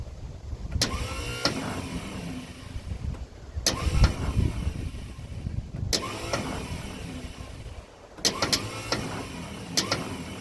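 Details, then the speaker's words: 1956 Ford truck, 45,000 original miles, sat 40+ years, new coil fitted, fed gas from temporary tank: short starter bursts with sharp clicks and brief whirring, engine never turns over; owner suspects sticking Bendix, mice debris in flywheel cover. "Well, that's no good. These old starters tend to Bendix tends to stick sometimes."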